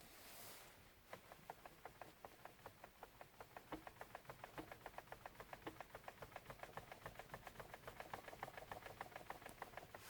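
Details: Lada Vesta steering column: sharp light plastic ticks, about three to four a second, when the wheel is turned slightly and sharply back and forth; a loose knock inside the column, owner wonders whether it is a factory defect.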